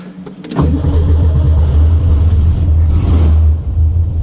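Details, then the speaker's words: Home-built VW Beetle project with warm-start problems, after new gear bushing, restarted after cooling a couple of hours: brief cranking, catches at once and settles to steady even low idle; normal cold start, warm-start cause still unknown. "okay it's had a couple hours to cool down now let's try it again let's see if you start"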